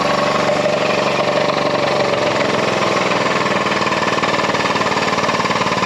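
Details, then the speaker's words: BoostedGT's turbocharged car, with the engine making some noise that day. Busy, rattly running with a loose, uneven tick about four times a second; the source is not identified. "not much there wasn't a whole lot to see or do there that particular day the engine was making some noise"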